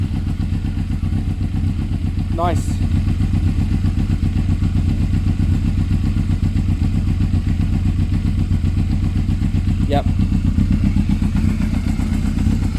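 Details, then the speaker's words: Yamaha Thundercat 600 idling after an exhaust change, with the exhaust bracket snapped: a deep, steady exhaust burble at an even idle with no misses or knocks, sounding much better. Normal idle. "sounds much better"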